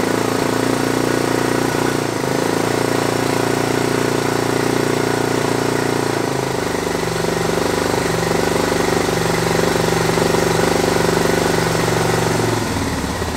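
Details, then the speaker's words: Suzuki DR650 single-cylinder, carb cleaned after sitting over 4 years, started with starting fluid; idles unevenly, lumpy and stumbling. Rough idle; owner suspects old fuel/debris needing to run through or airbox airflow not quite right. "you might meet the idols got a little bit look mom no hands and sit still Artie it's beyond the little rough I think they need all the gas ran through it they help clean up a little bit crap out the park still and maybe just their box office airflows not quite right"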